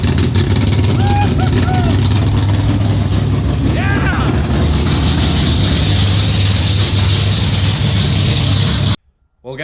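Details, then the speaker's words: Chevrolet El Camino with 468 big-block V8 (600 hp), first startup after build: fuel system primed, catches on the first crank and settles into a loud, lumpy but steady idle; needed more idle screw; normal first start. "that does it the thing finally runs and honestly I cannot believe it started up that quick"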